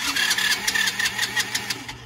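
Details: Free quad unused for years, starting fluid sprayed into intake, choke being adjusted: rapid uneven cranking puffs, trying to fire but never catching; spark later confirmed, no fuel from drain, floats suspected stuck, carb likely needs removal.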